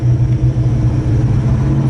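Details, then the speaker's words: Procharged (supercharged) Mustang Mach 1 on a revised base tune, driving at about 2,000 rpm in second gear with air-fuel ratio around 11; deep uneven rumble with stuttering, jittery pulse; low-rpm bog from rich tune. "2K, second gear, 11. And right there it's bogging, right there. Oh man, that sounds, oh man. I feel like I'm breaking my car, like literally."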